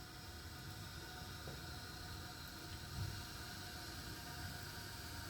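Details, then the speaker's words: Glacier Bay dual flush toilet, newly fitted Fluidmaster 400AH fill valve replacing one that ran constantly: a steady, soft hiss of refilling, quieter with the refill tube fitted tight, and no hammering or whistle. The water level stops too high and needs adjusting. "when this is in tight, you notice it is quieter."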